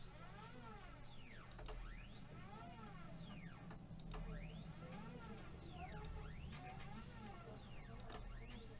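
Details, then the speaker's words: 3018 mini CNC, axis driven with a missing nut and one of two screws tightened: faint stepper whine sweeping up and down every two seconds with sharp ticks at each peak. The motor stalls against the binding axis and moves freely once loosened. "you hear that that's because that murder can't move now if I loosen that off it can now move so that's that's obviously a big issue here"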